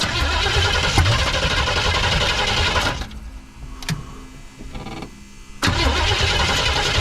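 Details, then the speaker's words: 1979 Chevrolet C10 squarebody, 350 V8; catches, runs roughly a few seconds, dies to faint sputters, fires again. Stalls after starting; they wonder whether carburetor needle and seat is letting fuel in, not confirmed. "thank you I wonder the needle and seats even letting fuel go in it right come on man"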